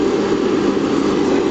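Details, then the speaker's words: Riello RS38 forced-air gas burner after pre-purge and first-stage ignition with arc and gas solenoid valve opening: even, steady roar with no pulsing, popping or surging; flame caught, firing cleanly. Normal operation. "donc t préventilation là il se met en allure de démarrage der la première hure là il aend l'arc électrique mise à feu l'lectrovan est bien"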